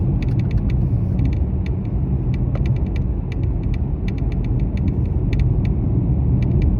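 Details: Mercedes-Benz E-Class W213 under warranty, while driving: sharp, irregular crackling-rattling clicks from the dashboard over steady low road rumble; intermittent, stopping and restarting, dealer unable to find the cause after about 8 visits.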